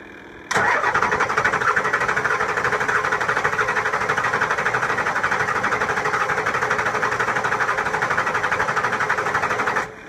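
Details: 7.3 Powerstroke diesel after injector O-ring replacement, heads needing to repressurize; starter churns at steady fast chug about nine seconds, never catches: extended cranking, hard start.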